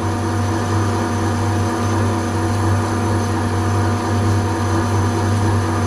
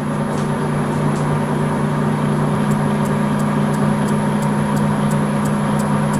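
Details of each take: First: Deep, steady rumble while boring a bearing seat in a cast-iron welding positioner housing with a standard boring bar and Cermet insert: the bar is chattering. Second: Lathe facing cut on a large iron blank being made into a bearing housing for a rotating welding positioner, fed 0.1 mm per turn to keep cutting forces minimal; steady low drone with light regular tick, no chatter, smooth surface.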